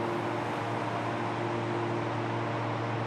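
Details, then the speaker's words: DCX DC120 dry cooler, three fans at maximum load (120 kW, hot-summer condition), recorded 10 m away, about 69 dB: even, constant air roar over a steady low hum, no rattles or pulsing; normal. "that's the sound of the dry cooler system 10 meters away. This is what you can expect when you'll be running your rack size operation, 120 kilowatts at hot summer days"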